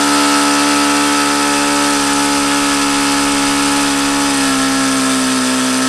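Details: HP VT 21 rotary-valve four-stroke glow engine, bought used, after another plug change and leaning low-speed needle: high steady buzz at fast idle that sags and runs rough and uneven; owner says it still indicates rich on the low end.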